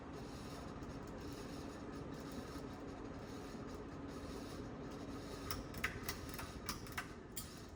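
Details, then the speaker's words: 1992 Sears Roebuck 42-inch Hugger ceiling fan, model 689 11438, running in reverse; steady dry rasping rub under motor hum with a few sharp ticks near the end; awful noise from worn bearings. "Not that I'll ever use reverse, that's kind of a gimmicky feature. But that bearing noise is awful."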